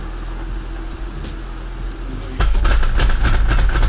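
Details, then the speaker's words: Nissan (Infiniti) towed in with a loud noise when driving: quiet idle, then sudden violent driveline pounding, about three or four hits a second, on moving off, with shaking; transfer case internal failure or missing center support bearing suspected. "Is the center support bearing non-existent? I broke It's something inside that transfer case."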